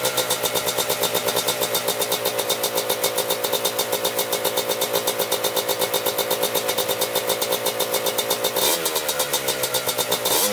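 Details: 1987 Kawasaki Tecate 4 250cc two-stroke quad, freshly rebuilt, idling after first start aided by gas in the cylinder; crisp, even popping at about four beats a second, no misses; normal idle.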